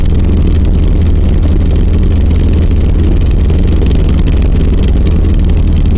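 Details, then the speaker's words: 1990 Volvo 740 driving, heavy constant low rattle and drumming vibration under steady load, worsening over six months; after tune-up and suspected torque converter, inspection found driveshaft rattling from worn center driveshaft support and/or bearing. "But if this helps you diagnose anything at all, what I found out is that it is the center drive shaft support"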